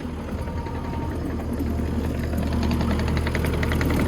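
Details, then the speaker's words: Kubota SVL75-2 compact track loader, diesel idling during drive-motor leak test: light irregular metallic ticking from a loose undercarriage wheel rattling; replacement wheel ordered, possible bad bearing suspected nearby. "I had to order a new wheel here because you can hear it rattling. So I had to order one of those."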